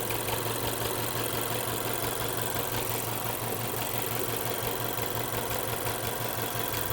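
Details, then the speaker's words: Car with a pending cylinder 4 misfire code idling rough: lumpy idle with an off-beat stumble about three a second, no change when the number 4 coil is unplugged, so cylinder 4 is already dead. Coil or spark plug suspected. "Yeah, it's running rough. All right. Let me see, keep it running."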